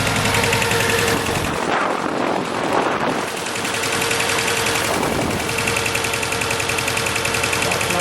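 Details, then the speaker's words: 2006 Mercedes A150 (W169) petrol idling: uneven chuffing beat as cylinder 4 drops out despite spark, fuel and compression; cause injector 4 open circuit in wiring, fixed by bypassing injector wiring. "And I know there is fuel because all the other cylinders work, and I know there's compression because I checked, but still it's misfiring."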